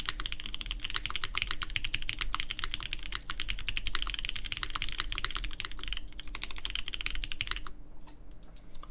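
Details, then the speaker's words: Baron Boards BP One in gasket mount evenly placed around the aluminum plate, GMK Terminal keycaps, lubed Cherry MX Black Clear Top switches: rapid soft muted thock, no spring ping or rattle; judged the best-sounding mount so far, after stiffer and more flexible versions. "good. That sounds nice. Yeah, I do think this is the better sounding one so far."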